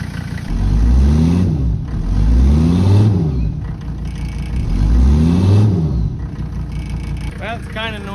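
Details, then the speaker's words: 1985 Mercedes 300D diesel, started on a fresh battery with starting fluid: repeated rev surges with loud rough clatter, smells of old diesel, almost no power when driven; noisy running, cause not found. "It runs. It smells like old diesel fuel. Three out of four windows work."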